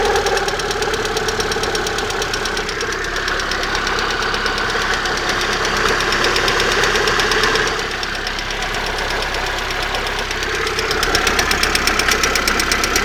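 Steady sharp knocking at roughly three per second over the running engine, holding even throughout; a knock near the exhaust manifold, source undetermined.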